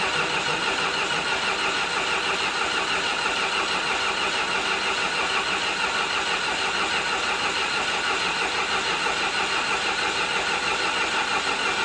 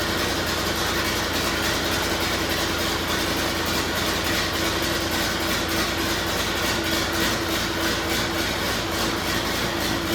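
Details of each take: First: John Deere 450C bulldozer diesel, sat six months, neutral safety switch jumped: steady cranking at about three beats a second that never catches; crank no start. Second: John Deere 450C bulldozer diesel, just started after fixing a pushed-back connector spade: steady heavy clatter with even drone, no misses or knocks through ten seconds; running normally.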